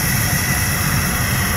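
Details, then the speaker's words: Hardware-store steam scooter boiler feed pump (small eBay water pump), triggered when a water level sensor reads low in a 15-second check: even low buzzing hum, no knocks or surges; normal running. "it's set up so that every 15 seconds it checks the water level sensor and if the water level sensors down then it turns on the pump till it till it detects water again"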